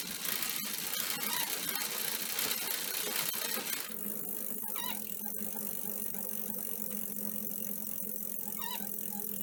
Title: squeaking/creaking noise not as frequent as before